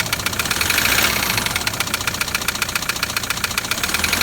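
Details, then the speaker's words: Toyota Land Cruiser LC120 diesel at idle: hard tapping about 220 per minute over the idle; loud knock believed to be piston tapping the head, possibly cracked pistons, from neglected maintenance; big-end wear considered unlikely. "but that loud tapping i straight away believe to be the piston tapping on the head okay so straight away i've gone why that would happen big end bearings warn which they don't wear in these"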